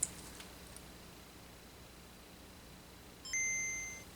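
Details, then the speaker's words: Non-booting Game Boy DMG after CPU rework, second power-up: bright high boot ping at switch-on, another good boot, promising but not yet confirmation. "We got another good boot, which is promising, but we've had that before."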